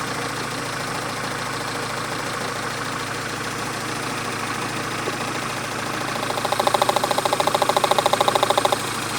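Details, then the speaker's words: Renault Twingo running on only two cylinders, heard at a steady idle through a stethoscope microphone on each injector: crisp, even ticking a bit over twice a second. The two outer injectors click loudly, normal injector operation. "I think it is, but if not, the 2 outer ones are clicking loudly."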